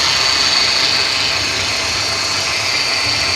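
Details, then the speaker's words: 2014 Mercedes C250 idling after being driven: thin, steady high-pitched whine, owner believes from low power steering fluid (dipstick about an inch low) rather than the alternator pulley. "what I think it is it's the power steering fluid which probably cost is maybe about ten dollars for a court if you get some from Mercedes"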